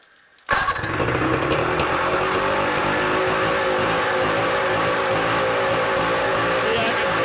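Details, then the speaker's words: 1983 Evinrude 50hp outboard with worn, loose throttle linkage: fires at once, then climbs to a fast busy buzz that never settles to a slow idle, nearly runaway; idle too high, unaffected by the throttle linkage position. "she'll get almost in a runaway mode as you just saw I just tried to throw outle it up and stuff but it's just not"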